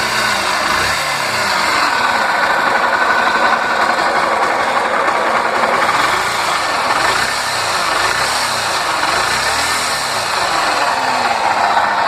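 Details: Honda Fan 125 at idle: busy metallic rattle riding over the engine beat, source unclear; mechanic quoted a top-end rebuild (cylinder, piston), owner suspects something simpler like oil pump or clutch.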